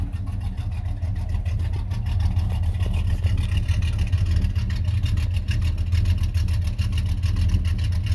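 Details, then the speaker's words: 1991 Chevy Silverado C1500 350 V8 with Summit cam and 650 double-pumper carburetor, idling around 600–650 rpm: deep lumpy idle with a steady rhythmic loping pulse, no misses or pops; normal smooth cammed idle. "so right now it's at 600 650 um rpm but it runs pretty smooth you know it don't pop and it's got a nice sound to it"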